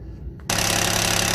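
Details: 2004 Mitsubishi Endeavour cold start, engine running with timing cover open: fast, even metallic rattle over idle from the hydraulic timing belt tensioner not holding pressure (below the ~4.8 mm spec); rattle gone after tensioner replacement.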